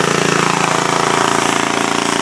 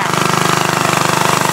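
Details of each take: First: 1942 Breezy antique walk-behind tractor single-cylinder engine after repair with doubled glued head gaskets: steady even chuffing at fast idle, no misses or knocks, until shut down; normal running. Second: Antique walk-behind tractor small engine under repair running with a hard rapid knock, about twenty sharp hits a second, jackhammer-like; engine knocking.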